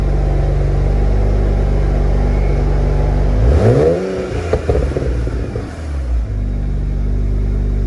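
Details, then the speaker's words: BMW E90 335i with VRSF catback exhaust after fixing the 3.5" mid-pipe resting on the rear crossmember plate: smooth idle then quick rev, no metallic rattle, normal exhaust. "it's freaking solid dude that's not going anywhere uh before if i just tapped it you would just hear it just rattling through the whole car so hopefully now there aren't any unusual vibrations"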